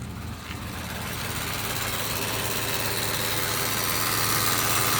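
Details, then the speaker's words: 2012 Subaru Impreza idling: a rising, steady electrical buzz and hiss from the engine bay appears once the air is directed to the windshield, at any fan level, AC or heat. "now I get a very strange buzzing noise. It's coming from what seems to be right there. Absolutely no idea what that would be."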